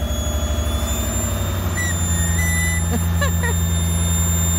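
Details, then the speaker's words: Lexus IS200 with swapped 1UZ-FE V8, after fitting Audi R8 ignition coils and a larger aftermarket throttle body, in about -20° cold: thin steady whistle over a lumpy idle; small intake air leak. "on a une petite prise d'air l'admission on entend la trompette"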